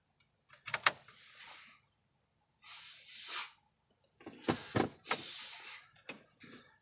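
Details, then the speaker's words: Chevy Blazer/Envoy-type truck with flashing 4x4 lights: transfer case shift motor heard underneath in short, rough whirring bursts that start and stop as the switch is pressed, case stuck in four low; motor appears to kick on, cause not confirmed. "we are going to make sure that when we hit the switch that the shift motor is actually kicking on how it sounds so it sounds like it's kicking on so kind of sounds kind of rough"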